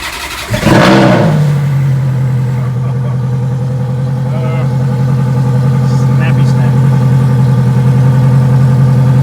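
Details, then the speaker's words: Ferrari F430 first startup after manual transmission conversion: cranks, catches and flares, then a deep lumpy idle that steadies; rough idle is normal for 3 to 4 minutes after start. "So it's supposed to run rough. The idle is supposed to be pretty rough for 3 to 4 minutes."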